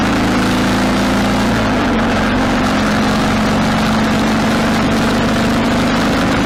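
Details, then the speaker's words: 1995 Harley Sportster 1200 after carburetor rebuild, riding: steady, even V-twin drone dropping smoothly in pitch as revs fall, no popping on decel; formerly died at idle and backfired through the carb. "alright so the bike ran really well actually went through all the gears just about half mile down the road or so and turned around went through all the gears when you let off the throttle doesn't pop anymore"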